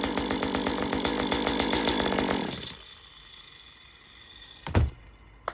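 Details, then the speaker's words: Stihl MS 194 T chainsaw after repair of a squeal from the crankshaft area, clutch refitted with the bearing greased: steady, even two-stroke buzz with no squeal, then shut off; running normally. "No more sound. So, we fixed the problem."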